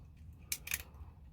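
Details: ASG Scorpion Evo airsoft gearbox during rebuild, gear turned by hand to check the anti-reversal latch: two quick, crisp clicks as it catches the bevel gear. Normal anti-reversal latch clicking.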